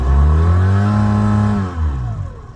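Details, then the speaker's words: Mercury 9.9 outboard on a dinghy with a spun propeller: engine climbs sharply to high revs and sags back, light and unloaded with no bite, as the shaft spins inside the prop because the rubber bushing linking spline shaft to propeller is stripped; fix is a new propeller. "When it revs up, but it don't go nowhere, the shaft is spinning inside the propeller. There's a rubber bushing that connects the spline shaft to the inside of the propeller, and it is stripped."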